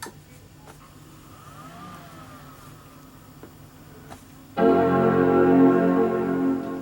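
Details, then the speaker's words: PowerMac G5 powering back on after installing a new DVD burner: quiet fan hiss then a full sustained chord that rings and slowly fades; normal startup chime. "That's my favorite sound in the whole world. Well, not exactly, but I do like it."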